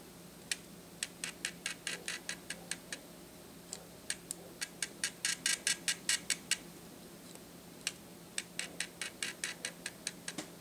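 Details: Atura speedlite (model unknown) zoom head, about 43 dB measured, in a noise comparison with Shanny SN600N and Nikon SB600/SB700: short bursts of light sharp ticks, a couple per second, as the zoom head steps; normal zoom motor noise.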